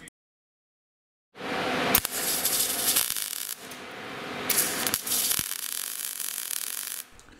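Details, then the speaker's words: Gas-shielded short-circuit MIG welding with the wire feed speed set too slow for the voltage: the crackling arc breaks into uneven spits and gaps instead of a steady sizzle, so the wire speed needs turning up. "Okay, so that was the wire speed too slow, so we need to turn it up a little bit."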